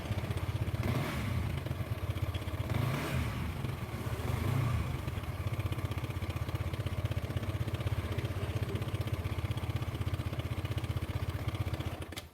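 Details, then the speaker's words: Motorcycle single at idle, crankshaft balancer bearing first suspected and ruled out: an uneven clattery rattle about four times a second that rises and fades, with a click as it stops. Slack cam chain tensioner. "Kalau berhenti bunyi klek gitu teman-teman jadi punya kasar kayak gini kalau berhenti bunyi ceklek gitu Jadi mirip dengan lahar balon yang oblak"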